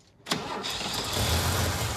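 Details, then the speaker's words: Vintage International Harvester truck, unrun for 21 years, oil pressure now reading, carburetor needing a rebuild, fired on starting fluid: catches sharply and runs unevenly for seconds, sputtering; one suspects too much timing, the other thinks it flooded. "nice keep her running go doesn't it sound like too much timing no I think it just kind of flooded"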